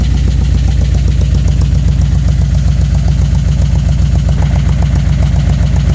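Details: Engine at steady idle with even pronounced knock about two and a half times a second over the rumble; owner suspects rod knock or stuck-open fuel injector, unconfirmed.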